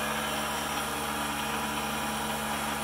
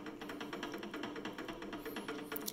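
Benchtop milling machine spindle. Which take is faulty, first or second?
second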